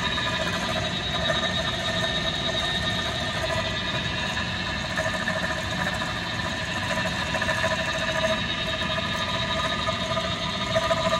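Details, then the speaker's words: Fujitsu ducted air conditioner indoor unit during preventative maintenance, heard while cleaning the filter: steady whining drone with high tones over the air rush from worn, noisy fan motors, to be replaced with new ones. "i noticed when i was cleaning the filter that i could hear the indoor unit making a weird noise"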